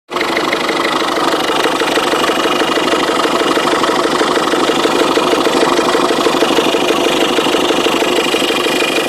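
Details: 2005 Ford Fiesta 1.6 TDCi diesel: steady regular knock of about three beats a second at idle, started suddenly the day before, gets faster on acceleration; engine knocking at idle.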